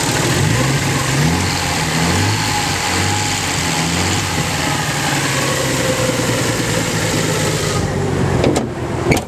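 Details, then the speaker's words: Nissan 300ZX after hydrolock repair, idling with a fast, light, even lifter tick over the hum; all driver-side lifters now seem to tap where only number 5 on the passenger side did before. It is also still backfiring. "hell of a lifter tick. Let's go home. Lifter tap. I think all the lifters on the driver's side are tapping, when the only lifter I had tapping was number 5 on the passenger side."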